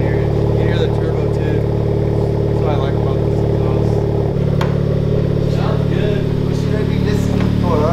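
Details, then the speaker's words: Honda Civic Type R just after a Tomei exhaust install: very quiet, steady deep idle with light even ticking about three per second; the usual Honda valve tick, sounds good. "yeah yeah yeah pretty much he's like hey i'm right here yeah yeah but it sounds it sounds good all i hear right now is just the engine tick the honda tick the honda got a tick tube sounds like it"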